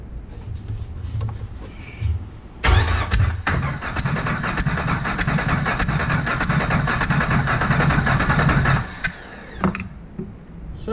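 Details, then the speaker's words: Copart salvage Jeep TJ engine with a no-start condition, cranked by a remote starter button during a compression test that read 149 on cylinder 3; steady, even chug for about six seconds with no lazy beats, consistent with good compression. "we read 149 on the third cylinder so let me write that down"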